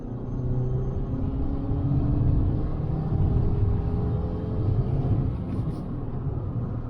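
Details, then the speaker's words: December 2012 Fiat 500 Lounge on road test, held around 4,000–5,000 rpm under 60 mph: deep even engine drone with road rumble, smooth with no knocks; engine mechanically sound. "all right well i think we've sufficiently tested it mechanically it seems sound as a pound"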